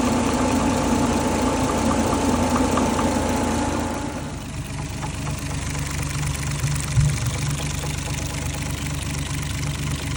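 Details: 1JZ-GTE inline-six in MK3 Supra, warm idle: light, uneven intermittent top-end ticking knock, loudest via stethoscope at exhaust cam cap number one; only when warm, seems to fade with rpm; valvetrain suspected, source not pinned down.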